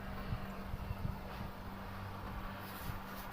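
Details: Fridge that stopped cooling with its light on and its compressor not running, after repair with the faulty PTC relay identified: steady even low hum with no clicking off, frost forming inside within 10 minutes; compressor running normally.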